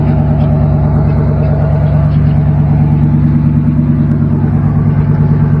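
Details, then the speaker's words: Chevy square body truck with overdrive transmission, being checked before purchase: loud, deep, even V8 rumble with throaty burble at steady idle, louder than stock from an aftermarket exhaust; no bad noises or smoke at startup. "yep it's got that teenage boy exhaust for sure"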